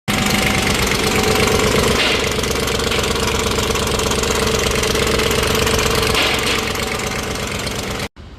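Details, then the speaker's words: BMW M62 V8 (X5/540/740) with a loud fast metallic timing chain rattle from a broken chain guide, before the timing chain and VANOS repair. "guys, broken guide right here. This is a piece of it. Another piece. Big rattle."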